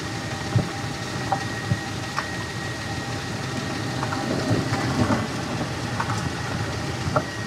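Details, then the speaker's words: 2005 Nissan Elgrand E51 driving, with the microphone moved to the underside: sharp, irregular clunks roughly every second over low road rumble as the wheels go through bends. Worn front anti-roll bar drop link ball joints are knocking. "a bend and then taking that lock off will cause the bet the ball joints to move and knock some more so i don't know how much that you can hear but for me that's really obvious"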